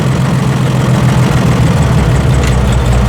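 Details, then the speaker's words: Massey Harris 102 Senior tractor, first run in 10 years, carburettor running a little lean and adjusted: slow, heavy, uneven idle near stalling with deep low thump; dying at idle because throttle notch set too low. "there's like these step of notches and these step then another step and I had it in the idle a little too low"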